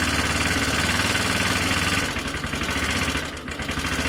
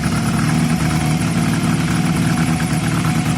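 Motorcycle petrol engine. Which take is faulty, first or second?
first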